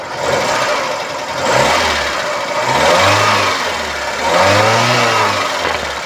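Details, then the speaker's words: 1990 Toyota Starlet EP80, 1000 cc inline-four 12-valve, points ignition, carburetor: revs rise and fall smoothly through several blips with no knocks, rattles or misses; sounds normal at high RPM. "Nah, kita naikkan RPM pun suaranya masih cukup normal."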